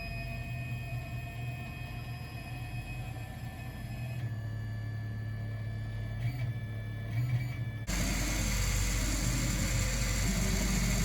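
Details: Dagoma Magis 3D printer running: a loud, heavy low hum and steady high whining tones, extremely louder than normal.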